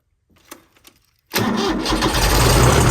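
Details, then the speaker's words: Mid-1980s Kubota B7200 subcompact 3-cylinder diesel tractor, cold start at about 15 degrees ambient after glow plugs, no fuel additive: brief cranking, then it catches into a loud rattly clatter typical of an old diesel started cold. "Old diesels are pretty noisy whenever they first start up in cold weather, like the clatter."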